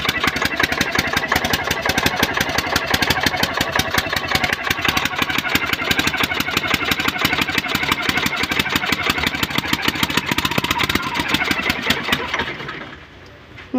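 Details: Diesel engine after piston ring, head gasket, injector nozzle and common-rail servicing; ran fine two days, then a loud, harsh rapid knocking clatter at idle until shutdown; cause not yet found.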